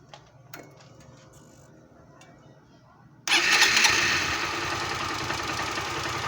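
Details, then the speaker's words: 2018 160 motorcycle at start-up: quiet, then catches into a busy idle with a tappy rattle from the top of the cylinder head; top-end noise on start-up, cause not yet confirmed. "e esse barulho na parte de cima do cabeçote ali"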